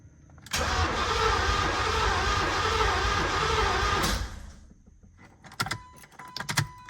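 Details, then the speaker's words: 1986 Corvette project with near-empty drained fuel tank: steady, even cranking for about three and a half seconds that never catches, no fuel pump hum heard; owner suspects the pump relay, removed with the inner fender liner. Crank, no start. "I don't hear the fuel pump running. All right, I think I know why."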